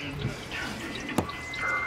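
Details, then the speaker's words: 2008 Sea-Doo RXP 215 cooling system under pressure test, cowling off, coolant pooled in the hull: faint trickling and one sharp drip, water heard flowing but not yet seen; coolant leak (later found to be a cracked ride plate nipple). "I hear it here some coming from somewhere he I hear some water flowing somewhere I can't really put an eyeball in it yet"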